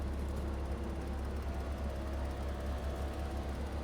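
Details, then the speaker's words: Porsche 986 Boxster convertible top raising after replacing the faulty top button: even low motor hum with a faint steady pump whine, no straining or clicking; top works normally. "So far so good. Well, the up was always good. Yep. Look at that. It's working."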